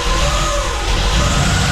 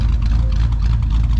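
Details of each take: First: LS V8 on first start after top-end rebuild with new lifters (failed lifter, low oil pressure), exhaust not yet hooked up, smoking: fast light ticking over rough loud idle; lots of valve train noise, owner unsure if normal with fresh lifters. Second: LS V8 after a top-end rebuild for a failing lifter and low oil pressure, now at 40–50 psi oil: deep, even idle with a steady low rumble and no ticking. Slight lifter noise and smoke at first start are normal and went away.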